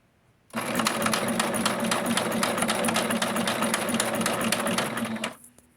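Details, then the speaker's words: Singer Sewing Mate sewing machine at stitch setting 4.0, before cleaning and oiling: steady pace of about four stitches a second with a sharp clank on each stroke; clattering in the mechanism, cause unknown. "So it's really tight, but there's some clattering that's going on, which I don't know what it is. And if I'm going to be recording and sewing on live, I don't know if I can handle the noise."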